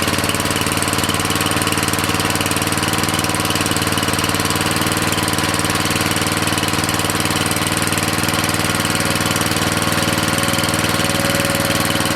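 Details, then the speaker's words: Briggs & Stratton 13.5 cast-iron-sleeve riding mower engine, rerun with air filter back on after suspected oil in cylinder from engine tilted on its side; steady even single-cylinder beat, no misses or knocks, smoke decreasing as it burns off; good running. "Yeah, that's running way better. That's exactly, I think, what it was. I mean, less and less smoke all the time. It's just burning it off. Yeah, that's a good running engine."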